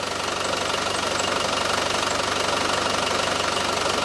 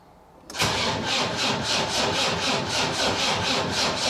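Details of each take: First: Land Rover Defender 300 TDI diesel after engine swap, new timing gear and belt: even diesel clatter at idle, no knock, faint front pulley squeak from rust on bottom pulley; runs well, quieter than old engine. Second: Land Rover Defender 300 TDI diesel, first start after swap to lower-mileage engine with new timing gear and belt: glow plugs on, starter churns slowly at four beats a second with good compression but never fires; fuel not yet primed.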